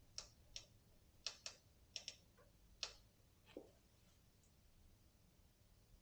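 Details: Orbea Rise mountain bike, about 200 miles: sharp dry creaking clicks in uneven bursts as frame is pushed and pulled; top linkage/frame bearing binding from over-torqued driver-side linkage, fixed by releasing the preload.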